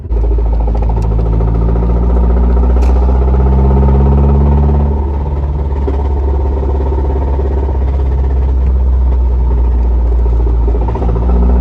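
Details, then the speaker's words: Car started after a drive that included racing and a scraping noise: steady deep engine drone with a fast, somewhat uneven knock at about 3.5 per second underneath; owner suspects rod knock, a notch was seen; engine knock. "i started up i'm like i know what that sounds like i know what that sounds like hashtag rodnock baby that's what i'm talking about okay uh yeah so it was rod"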